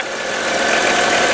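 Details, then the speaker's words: 1998 Chrysler Town & Country 3.8L after replacing the number one fuel injector that had set fault codes: even, steady idle with no misses, knocks or stumbles; runs smoothly and the OBD2 scan then shows zero faults. "okay so we've started the engine here's to be running smoothly making the normal kind of Chrysler noise"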